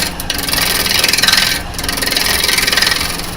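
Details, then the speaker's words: Woodturning on lathe: fast, rough rasping chatter pulsing steadily as the tool bounces over high spots of an uneven blank; bouncing stops once the surface is smooth and level. "See, as soon as smooth, it stops bouncing. So, I know that's when I'm there. Now I'm listening. I can hear by that bouncing. See, I can hear that I'm not I've not got it actually level yet."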